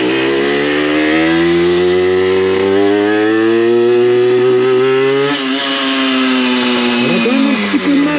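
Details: Aprilia RS4 50cc two-stroke motorcycle on road test after complete engine rebuild, main jet size 60 (rider thinks slightly small): high buzzy note climbs smoothly through the revs, drops and picks up again; normal running, pulls cleanly.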